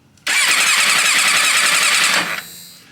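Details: Starter cranks a four-cylinder motorcycle, one of five bought, for the first time, in neutral, one spark plug out for a compression test (one cylinder about 90); brisk, even two-second spin, no drag or uneven pulses; healthy cranking.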